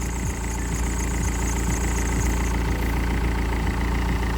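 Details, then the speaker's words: BMW after AC system repair, engine idling: a faint high chirp from the dry belt tensioner pulley fades when lubricant is sprayed on; tensioner to be replaced, AC compressor quiet. "okay well I don't know if you guys can hear me but the pulley that's creating all the noise is tensioner so the moment I spray any sort of lubricant on"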